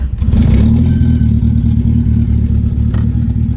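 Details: 1990 Mitsubishi Eclipse GSX after setting ignition timing via DSM Link; starts with clutch in and no throttle, holds a deep, steady, even idle with no misses or knocks; engine runs as it should.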